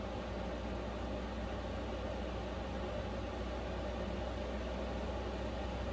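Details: Vevor Chinese diesel heater in an uninsulated camper in sub-zero cold on high setting: steady even fan rush with low hum, slightly louder, and the pump ticking heard at lower settings is inaudible; running normally.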